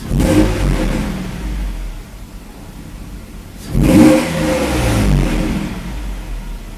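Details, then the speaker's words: Mercedes 190E SportLine 5-speed manual with swapped 3.2L M104, after rewiring power lines, O2 sensor, cam advance solenoid and HFM-ISC CAN line: starts first try, smooth clean revs returning to even idle, no knocks or misses; normal running and revving. "shut it down okay keys out put it back on and set it up starts right up first fry very nice"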